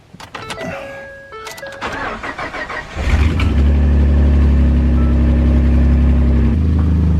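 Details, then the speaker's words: Ford truck with EcoBoost engine, daily trailer tower: cranks, catches and settles to a loud even idle with a ticking puff underneath, from an exhaust manifold leak that developed about a year ago. "probably almost a year ago it developed an exhaust leak as well exhaust manifold leak"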